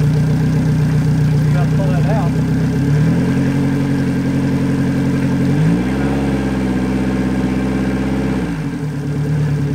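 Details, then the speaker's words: Yamaha 90hp four-stroke outboard on an 18ft G3 boat, replacing a 60hp two-stroke, after the throttle linkage was adjusted to fix revs that stuck high in neutral. Smooth, even idle; revs step up twice and drop back cleanly with no stumbling; normal. "so i had to adjust the linkage and once we got that adjusted it purged like a kitten"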